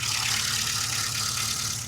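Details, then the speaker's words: Classic Mini after the HIF44 SU carburettor was replaced with a larger one, leaned off from running rich and idle adjusted, not yet fully warm: even, settled idle with a steady low beat and hiss; runs cleanly. "I'll give it a little bit of a tune. It was running quite rich, so I've leaned it off slightly, adjusted the idle, and it's uh running beautiful, as you can hear."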